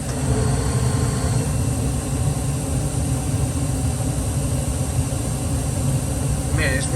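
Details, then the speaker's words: Furnace draft inducer motor after repair (it had hummed without spinning, giving a three-flash pressure-switch code): steady, even low drone with no rattle, scrape or wobble; running quieter and smoother than before, furnace heating normally. "running quieter than this it's running smoother than it was before we got Heat man that motor is running super smooth"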